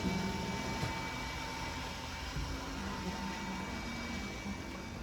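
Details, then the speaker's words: 2022 Wildwood 42FLDL travel trailer hydraulic slide-outs (bedroom, kitchen, living room) extending together: even pump motor hum with a faint constant whine, no knocks or strain; normal operation, lights dim slightly under load. "they're all fully extended you're going to kind of hear the line on the motor and then you'll probably notice the legs dimmed down a little bit"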